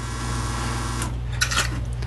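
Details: Espresso machine after repair, test run with a backflush disc basket before warm-up: deep, steady pump hum with a brief water hiss, strong and even. The old, hard group gasket is still leaking.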